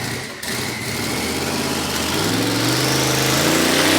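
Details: Holden VK Calais firing up after the correct pushrods were fitted, following injector and pushrod trouble: it catches and the revs climb smoothly to a steady, even note with no misfires. It is running cleanly.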